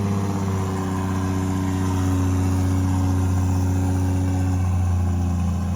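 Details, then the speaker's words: Toyota 2JZ-GTE in a Commodore project car, warm after first start; one cylinder had no spark output, found and fixed. Smooth, even deep hum at idle with a clean blip of revs, no misses or knocks. "but all is going good and it ran for 5 seconds and it sounds good so I'm stoked I'm feeling a little bit less stressy now that that it's running"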